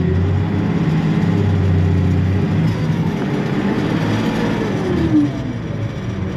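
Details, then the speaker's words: Allis-Chalmers diesel tractor: low idle wavers and flutters instead of holding steady. Owner suspects a bad governor ring and that it will need an injector pump; not confirmed. "Honestly, I bet that thing's going to need an injector pump. The way it's fluttering around and not letting stay at a constant idle, which means bad governor ring."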